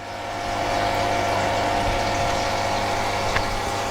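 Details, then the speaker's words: Lay-Z-Spa Palm Springs Airjet (Bestway) hot tub filter pump running after the pump water leak repair: steady constant-tone hum with water churning and no rattles or surging; good flow and no visible leak. "looking in we're getting a good flow of water so the pump is working well and i can't see any water"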